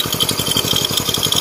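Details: Indonesian Win single-cylinder motorcycle after engine rebuild, no clutch-pot whine: even, steady pops about ten a second, no knock or rattle; smooth, healthy idle.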